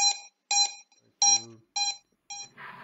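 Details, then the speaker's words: Drone ESCs beep continuously, a clean high double tone about twice a second, after switching firmware from Betaflight to INAV; motors spin at 1% throttle without beeping, but at 0% the ESCs keep beeping and won't arm. "but as soon as i bring them down to zero percent again you have this continuous peeping now"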